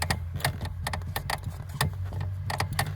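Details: Lada Granta with engine running: faint creaky clicks from the clutch pedal mechanism as it is worked, after spraying lubricant and waiting about 10 minutes; the squeak remains.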